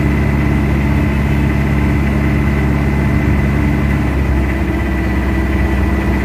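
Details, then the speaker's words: Warm Mitsubishi Adventure diesel treated with XADO for throttle delay, vibration and low power, idling with air-conditioning load; engine noise changed noticeably, now smooth steady low rumble with no misses or shaking; normal idle. "kita niyo guys yung ah Ano yung compression niya yung ingay ng makina biglang nagbago parang kanina parang Akala mo parang singaw lang"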